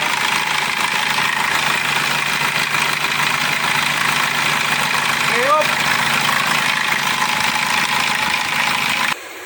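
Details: 2004 Kia Sorento with a hard-starting problem: steady, even idle with a smooth, unbroken engine note and no misses or knocks; engine starts and settles fine.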